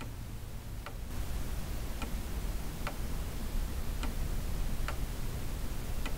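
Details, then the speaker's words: Weight-driven pendulum clock, hammers bent out of line during handling, said by previous owner to strike: steady tick about once a second with no chime or strike; going train runs but strike side stays silent. "this is the second clock that i've brought home [Music] that refuses to strike looks like they got a grudge"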